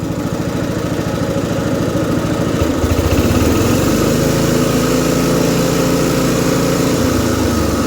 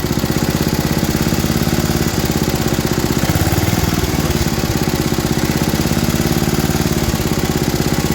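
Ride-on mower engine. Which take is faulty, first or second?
second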